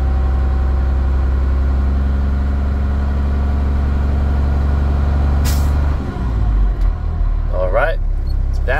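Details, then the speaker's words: Truck during a Class A pre-trip inspection, diesel idling: one sharp air hiss as the governor cuts out, showing the air system is fully charged with no leaks. "was my Governor cutoff valve that tells me that my air system is fully charged and there are no leaks at this time"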